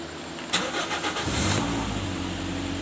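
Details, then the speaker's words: 2017 Toyota Corolla GLi, 70,107 km, intermittent no-start (cranks but sometimes won't start): short crank then catches and settles into a steady idle; started this time, so the fault doesn't show. "गाड़ी को start करते हैं तो Saraf round late है लेकिन गाड़ी start नहीं होती ठीक है"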